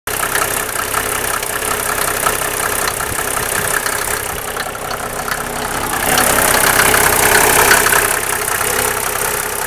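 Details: Mercedes 300SDL with the 603 diesel engine at idle: a sharp, regular knock about two to three times a second over the diesel clatter, seemingly from the valve cover area; collapsed tappets suspected, not confirmed.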